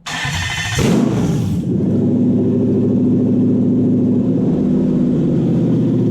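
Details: Toyota Hilux/Vigo KUN26 with 1UZ VVTi V8 swap, after rewiring fuel pump and ECU: cranks briefly, catches and settles to steady, even idle with smooth low rumble, no knocks.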